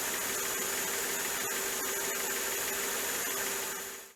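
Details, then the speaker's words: Mercedes-Benz S500 W220 V8 at idle after new spark plugs and ignition wires: steady, smooth hum with no ticking from the plugs and no misfire stumble; normal, healthy running. "you have it folks the engine is running super smooth"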